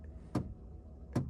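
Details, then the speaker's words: 2001 Saab 9-3 power antenna, heard inside car while lowering: sharp clicks about every 0.8 seconds over low motor hum, internal drive belt slipping; fixed by replacing mast and belt. "if you can hear that, that is the sound of the internal belt inside the antenna slipping."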